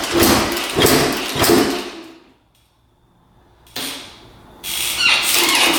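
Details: 1991 Honda CR250 two-stroke non-starter, fuel shut off at carb against flooding: fires in rough bursts, dies to silence, stumbles back; intermittent cutting out, owner suspects losing spark; new NGK plug next.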